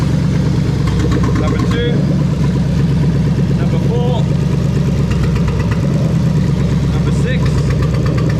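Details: 1998-2000 Lexus LS400 1UZ-FE VVT-i V8 on a standalone harness, warmed up with coolant temperature climbing: deep, even rumble at steady idle with no stumbles or missed beats; engine running healthy.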